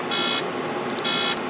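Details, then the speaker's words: Truck cab while driving: two short bursts of high, even beeping about a second apart over steady cab noise, recurring for weeks; the mechanic suspects a bad sensor; intermittent warning beep, cause unconfirmed. "you've got sensors to back up so you hear this and i mean it is that annoying i'm driving back"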